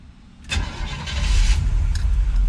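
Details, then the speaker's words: 1979 Chevrolet Corvette C3 L82 V8 at oil change: short crank, prompt catch into deep lumpy cammed idle that holds steady, no misses; normal start. "all right so that's a good sign let's start it up listen to that i can't tell you how awesome it feels sitting in here with listening to that cam"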